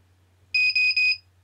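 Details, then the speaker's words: Naze32 flight controller buzzer at boot with vBat voltage scale set back to 110: three short even high beeps then quiet, no pulsing low-voltage alarm; normal startup. "there we go. Three built sim, it's ready. I don't get the low voltage alarm."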